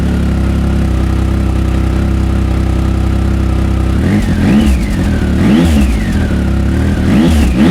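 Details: Triumph Speed Triple 1050 S with aftermarket SP Engineering exhausts, baffles in, held about 3,000 rpm and revved to about 6,000: steady idle then three clean blips with a deep, gruff note, more grunt than stock; normal revving.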